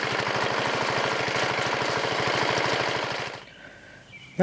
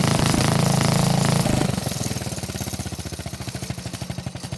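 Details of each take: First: Riding lawn mower OHV single-cylinder engine fitted with a tractor-style muffler: hard, even beat of about a dozen pulses a second with a heavy knock; owner suspects counterweights or connecting rod, engine to be torn down. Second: Old Montgomery Ward riding mower with a flathead single, temporary tractor-style muffler fitted: even, deep single-cylinder thumping through soft muffler, beats slowing and spreading apart at shutdown; sounds healthy.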